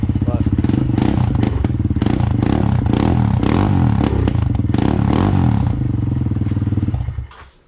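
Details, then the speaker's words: Kawasaki KLX110, stock displacement with a BBR U-Flow air intake, 60+ hours of hard riding, still holding compression: cold-start idle, quick even thumping, slightly lumpy while cold, no knocks, then shutdown. "garage has heated up so let's see if i can pull it off choked or not so you can hear still a little cold"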